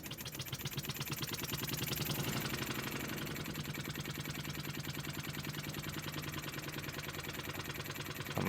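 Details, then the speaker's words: Wig Wag oscillating wobbler engine on compressed air, with the compressor adjusted to run it as slowly as possible (pressure hard to keep constant): soft, even chuffing at a slow steady beat with no knocks or stumbles; running well. "It's difficult to keep a constant pressure. They do say the slower you can get it to run, the better it's made."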